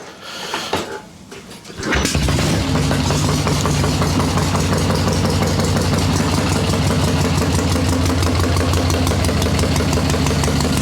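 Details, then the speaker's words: Swap-meet Harley Ironhead Sportster chopper, cold, carb adjusted to lean rich idle circuits: cranks, catches at about two seconds, chugs unevenly with irregular pops; needs more choke, fires with a slight throttle blip. "popping okay needs a little more choke than that but right there popping"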